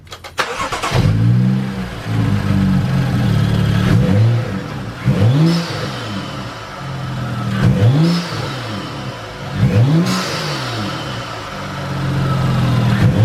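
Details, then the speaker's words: BMW F30 335i N55 after BMS Elite cone intake install: clean start, crisp revs with deep throaty note and turbo whoosh; sounds more aggressive, healthy engine. "oh my gosh that sounds so much better oh my gosh it's crazy what one mod can actually do to your car"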